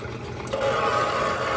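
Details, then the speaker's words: Harbor Freight rock tumbler running with a steady motor drone and high whine on top, about four times louder than identical units; fault suspected in the motor itself, unconfirmed. "boy that is a noisy noisy guy right there so this this one is like four times noisier than than the other ones here"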